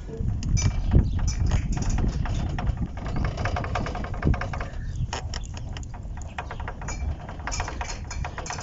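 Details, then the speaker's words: VW Gol front suspension, wheel rocked by hand: dull uneven knocks with visible play at the ball joint; worn ball joint causing noise, replaced with new one. "no sabemos si realmente es el problema este ruido que trae y aquí el ruido o el movimiento"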